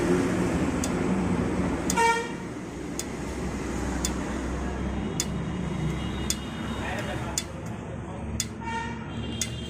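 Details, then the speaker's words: Motorcycle parked on its stand just after a ride: sharp, sparse ticks over street noise, fast at first then slowing; normal ticking of the hot silencer contracting as it cools. "यह जो आवाज है अभी बहुत तेज आ रही थी लेकिन अब हल्के हल्के इसकी जो स्पीड है वो कम हो रही है"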